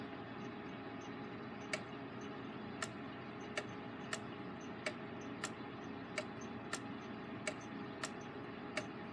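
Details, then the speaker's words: Gilbert long-drop octagon clock back on the wall after rebuild, pendulum refitted during beat adjustment: faint ticks alternate long and short gaps instead of an even tick-tock. Escapement out of beat, needs more dwell on the entrance pallet; escape wheel possibly slightly out of round. "all right we can create a clearly see which way the beat is adjusted you need to have a little bit more dwell time on the eggs on the entrance pallet"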